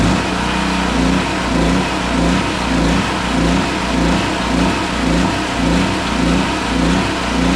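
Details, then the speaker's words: Centurion 3250 W generator that had sat with old fuel, refuelled and started on choke: hunts up and down about two surges a second; owner suspects the carb bowl had not yet filled. "give it a minute to see if it Smooths out I might not have given that bow time to fill"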